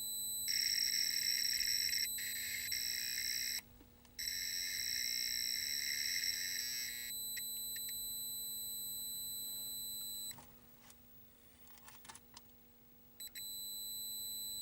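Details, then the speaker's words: 1983 Atari Cloak and Dagger arcade PCB set under repair, after one player start, logic probe on the two audio outputs; high tone pulsing about four times a second, showing audio signal present. "I hit start player one start and the two audio outputs are right there and with my noisy logic probe I can tell that there is sound"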